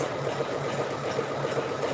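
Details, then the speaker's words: Embroidery machine sewing an in-the-hoop clutch in faux leather with stabilizer: quick regular needle ticking with an uneven catch on some strokes; sewer dislikes the sound and the grabbing, sees puckering; cause unconfirmed. "That's kind of, you have to keep your eye on it, and it breaks a lot. Okay, I don't like the way that sounds."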